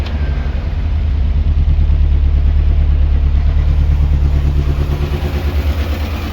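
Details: Morris Minor Traveller with misfire developed on a long road trip, idle turned right up as it stalls at low idle; lumpy raised idle with regular stumble, about three beats a second, one cylinder misfiring.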